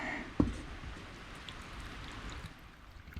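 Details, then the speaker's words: VW Tiguan rear sunroof drain, water poured in at a steady rate: brief splash then soft gurgling and trickling, water washing away fast with no backing up; healthy, clear drain. "You could hear it gurgling as it was draining. I mean, it's See it just washing out of there fast. That's what you want."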